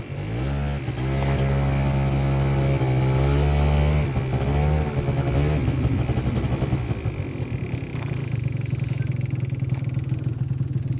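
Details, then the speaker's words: 2003 Yamaha Zuma two-stroke scooter after repairing a bad exhaust leak, given a little throttle to start (needs it until warm; owner suspects enricher): brief rev, then steady low putter at idle with no puffing or ticking from the header; exhaust leak gone. "let's try to Goose it there we go definitely no exhaust leak anymore"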